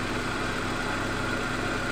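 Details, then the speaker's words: 1997 Suzuki Baleno after repairing the misfire and lack of power by fixing the spark plug wire and the leaking injector O-ring on cylinder one. Calm, even idle with a steady hum and no stumbles or shakes; healthy. "nah ini untuk mesinnya sudah hidup untuk langsamnya udah tenang Ya seperti tidak seperti tadi"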